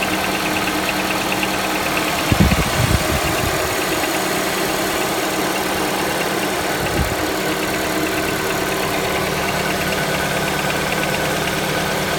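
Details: Honda Accord 7th generation 2.0 at idle: faint, light, regular tapping rides over a steady engine hum. An engine knock is present but its source is not pinned down.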